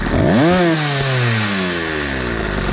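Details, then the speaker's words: Small two-stroke motorized bicycle with chainsaw-style pumper carb after tuning: revs up sharply then falls away cleanly, pitch sliding down evenly without stumbling; carb now set and running smoothly. "Now that sounds better."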